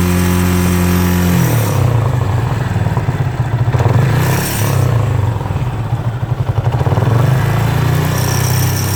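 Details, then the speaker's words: Yamaha Fazer 250 (2018/19) with an aftermarket exhaust, revving from idle: a buzzing metallic rattle rides on the engine, caused by the loose kickstand bolt and pin vibrating. "Parafuso do pezinho ali, ó, o pino do pezinho fica vibrando, faz esse barulho feio."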